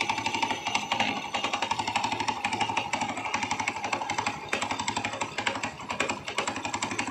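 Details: Jeling Chinese motorcycle with engine like Honda Astrea Grand, leaking oil, hard to kick-start: sharp metallic knocking about four per second over a light-running single at idle, loudest from the middle of the engine; internal knock, cause unconfirmed.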